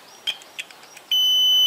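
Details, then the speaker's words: Hyosung GT 650R with a starter motor that won't turn; multimeter in continuity mode across both ends of the cable to the starter motor. A few clicks then a steady unbroken beep: continuity present, cable intact. "pongo el tester en continuidad y como sabéis bueno ya tengo aquí en un extremo con el otro extremo si hay continuidad"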